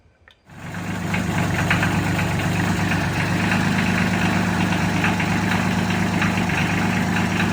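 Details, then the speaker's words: Mahindra tractor diesel after reassembly with new glow plug and thermostat: catches and settles into a rough idle with a light, irregular tapping on top; tapping at idle, owner hoped a lifter would pump up but expects valves need adjusting. "now all that tapping noise that it was making what do you have to do to clear that I'll have to go back in and check the adjustment on the valves I'm hoping it was just a lifter that needed to be pumped up but it sounds like it's gonna have to be adjusted"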